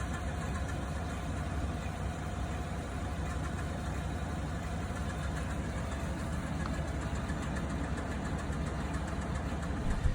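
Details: Chevrolet Tahoe 5.3 V8 after a cold remote start, ticking at about 160 degrees on the gauge and fading when warm: light, fast, steady ticking over engine hum; failing brake vacuum pump, not lifters.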